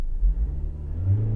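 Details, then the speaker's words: 2011 Mitsubishi Outlander 2.2 DiD diesel with code P252F (engine oil level malfunction) and an undocumented code: a short rev stutters and dips before recovering while live data tracks EGR position against target. The EGR valve is sticking and needs replacing. "That EGR valve is sticking. There, it's opening again. So this thing needs an EGR valve."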